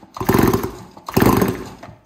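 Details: Stihl 026 chainsaw, about 25 years old, just rebuilt with a new piston and cylinder with a decompression valve after a scored cylinder: two strong pulls, each a burst of rapid chuffing compression strokes that rises and fades; compression healthy and even.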